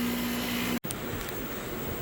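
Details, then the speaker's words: Old Goodman central heat pump outdoor unit, due to be replaced by inverter ductless units, in an earlier recording while running: loud, steady low hum with rushing air throughout; horribly, excessively noisy, cause unclear. "Okay, so that was an inserted clip, and that's what it sounded like. It was horrible."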